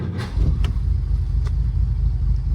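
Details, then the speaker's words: 1947 Plymouth Special Deluxe convertible, twin carburetors: deep, lumpy rumble with uneven beat and stray pops, hesitation; carbs out of sync, unmatched vacuum gauges reading 19 and 18 inches. "this isn't going to be extremely scientific because these aren't matched gauges if you see there that one's pulling 19 inches of vacuum and that one's pulling 18"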